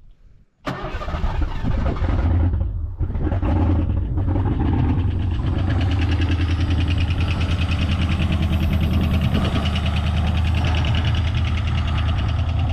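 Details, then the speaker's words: 1987 Mustang GT convertible that sat 25 years in the Florida sun, with the fuel pump silent and not pumping: the engine catches after cranking and settles into a fast, even chug, running only on brake cleaner. "um the pump isn't pumping which is good I can't hear it so it's not like it's trying to pump bad fuel in anything"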